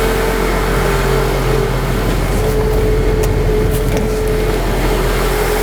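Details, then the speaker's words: 2004 Honda Element 2.4L, engine running with electrical loads switched on; thin wavering whine that comes and goes with load, voltage insufficient to keep battery charged; failing alternator diagnosed before replacement, battery good at 12.9 V. "it's not sufficient voltage to keep the battery charged and keep the engine running want one but I could actually hear the alternator not so happy right now"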